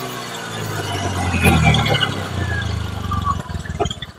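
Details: Honda Beat gen 3 CVT after repair of rough CVT, throttle worked at throttle body from low through 3/4 to full: engine climbs smoothly and drops back, even rising drone with no rough grinding; normal CVT rev, drive healthy.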